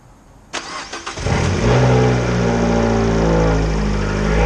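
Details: 2013 Fiat 500 Abarth first start after installing a Eurocompulsion front-mount intercooler kit: cranks briefly, catches cleanly and settles into a steady, even idle with no misses or odd noises; normal idle.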